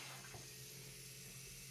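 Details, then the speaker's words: Volvo 740 with hot-start problem, pump jumpered on: faint steady whir with low hum and hiss from the main fuel pump under the car, rail felt pressurized; pump runs normally, injectors later found faulty. "you can probably hear the pump running I can feel it in the rail as well I can feel the fuel passing through the rail under pressure"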